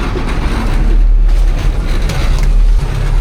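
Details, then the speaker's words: 1972 Diamond REO C116 truck with Detroit 8V71 diesel, sitting since about 2006, restarted after the air shutdown flapper tripped: deep, even rumble holding a steady idle with no knocks or misses, very smooth. "Okay, we're reset. What a smooth engine this is."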